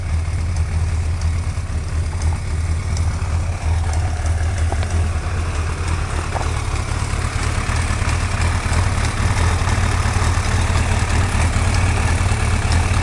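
Deep, loping idle with a faint light tick riding on top, roughly one to two a second; a ticking noise, cause not yet known.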